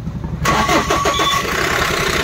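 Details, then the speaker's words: Mahindra Bolero Pickup BS6 diesel with a starting problem: cranks, catches briefly and stumbles unevenly, then stalls; first fault code shows no fuel being delivered, pump and injector delivery to be checked. "On करते हैं और इसमें देखिए आवाज़ start हो गया dot dot बंद हो जाएगा देख का रहे बंद हो गया"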